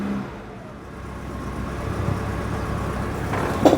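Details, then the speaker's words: Citroen GSA air-cooled flat four, first start after long lay-up, fuel being pumped through: rough start, picks up some cylinders then settles into an even rising rev, now running on all cylinders; HT leads leaking electricity, due replacement. "aha that's some of the cylinders jezelle oh that sounds like we might have got all of"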